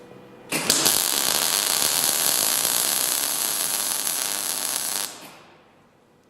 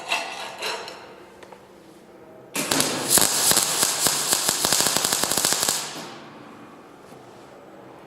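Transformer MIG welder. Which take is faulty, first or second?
second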